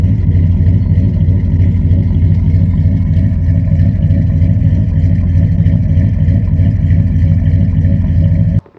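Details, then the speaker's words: Chevy TBI V6/V8 with Rochester 220 throttle body and new motor, after a base idle reset and throttle body swap, idles smoothly at about 750 rpm warm with a steady low rumble, good throttle response, no hunting. "It runs beautiful. Throttle response is good. There's no hunting. The new motor sounds better than it ever has."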